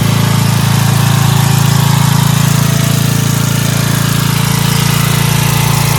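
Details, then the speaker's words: Dayton 11 hp Hauler lawn tractor, after readjusting the carburetor bowl fuel mixture screw that had been set too far out: steady, even low thump about four beats a second at lowest idle, no misses or knocks. "tell you, this thing is a beast. You saw on the lowest idle, right?"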